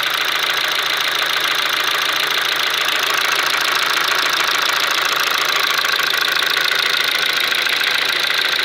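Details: Kia Ceed with G4FG petrol engine knocking at steady idle: sharp, even ticking knock about three and a half per second; source not pinned down.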